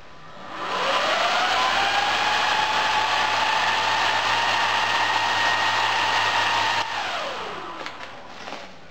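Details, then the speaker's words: 12 V cooling fans on a separate supply, cooling the inverter and transformer of a microwave-parts induction furnace. Steady high whirring hum with a clear tone, loud throughout, then winding down smoothly; fans too loud, need quieter replacements. "Yeah, they are just too loud. I'm going to have to find some quieter replacements for them. Otherwise, it'll drive me crazy with that noise."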